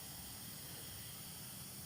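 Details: 2005 Isuzu D-Max with AC not cold and compressor not engaging, gauges reading 0 psi low and high: steady airy hiss with no pitch change as refrigerant escapes past the failed, hardened O-ring at the big AC line fitting, common past 100,000 km.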